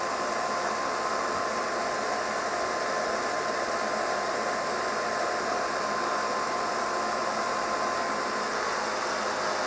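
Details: Kirby 560 vacuum running after a new lexan fan replaced a long-broken one: loud steady rushing hum with a thin high whine from bad motor bearings and a noisy brushroll needing replacement.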